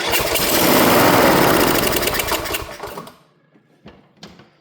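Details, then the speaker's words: Troy-Bilt mower with Kohler 18 hp engine, after a new carburetor fuel solenoid, on choke and without the air filter: catches with a loud, fairly even chug for about two seconds, then dies; has ignition but won't stay running. "but but it is firing up, so it's got ignition. It's doing its thing. Just doesn't want to stay running."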